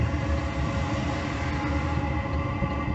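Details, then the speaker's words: Chinese diesel heater fitted in a 1988 Toyota Hiace campervan, pump at 5.4 Hz while priming and warming up. A steady, even low roar with the fuel pump clicking and a noisy exhaust, no misfires or surging: normal combustion. "you can now hear the fuel pump hear that clicking as you can hear it's quite noisy in the exhaust"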